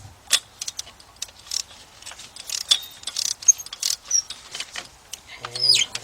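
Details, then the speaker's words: 3.6 engine spark plug removal with 16 mm deep socket and ratchet: clicks then high-pitched squealing as plug turns out, likely installed without anti-seize, risking stripped threads. Spark plug thread squeal on removal. "you heard that sound that squealing noise guys guys I don't like that this is why when people I hate that when people put plugs in and don't use antise"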